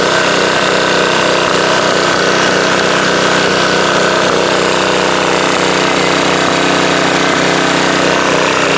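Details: Subaru electric-start pressure washer single-cylinder after oil refill, watched for leaks (over-soaked air filter suspected): steady, even buzz at constant speed, no stumbles or knocking; a little pop afterward; runs healthily.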